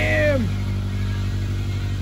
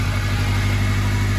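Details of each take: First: 2006 Acura RSX with swapped JDM K20 engine from a Honda Stream, just started, unchanged plugs, some smoke burning off: steady idle with a faint uneven tick about four times a second over the exhaust drone; abnormal noise of unknown origin. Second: 2006 Acura RSX with a swapped K20 engine from a Japanese Honda Stream, plugs not yet changed, first start: steady, even low idle with no knocks or misses, a little smoke burning off; the engine sounds healthy.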